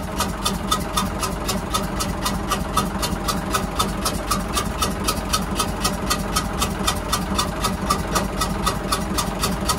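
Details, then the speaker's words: Hyundai 6D16 diesel engine on a boat, suddenly started making a "xẹt xẹt" noise while running; when cranked it blows out a lot of air; sharp hissy puffs about twice a second over rough idle. "mà mà nó nó đề máy thì nó sôi tiếng thì [âm nhạc] thổi ra cái gió quá trời luôn"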